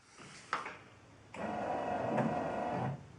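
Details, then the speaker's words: 1974 Chevy Nova with an aftermarket 12 V wiper timer module wired to the low-speed wire, set to fast so the motor sweeps every 3 seconds. Brief motor whir with a soft thump at each sweep's end; normal intermittent operation. "Now I have it on fast, so every 3 seconds we're going to get a movement from the windshield motor."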